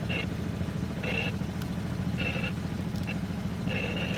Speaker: Got my squelch out of adjustment. You can hear my radio clicking on and off.